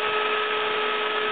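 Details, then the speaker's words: 6-inch fan rated 12 V 1.8 A, on a bench power supply pushed to 15.6 V to draw 1.8 A: loud steady rush of air with a fixed whine on top; the fan overspeeds on excess voltage. "So, I'm going to crank it all the way until it does start pulling 1.8 amp. There we go. 1.8 amps. Now, it's really really cranking."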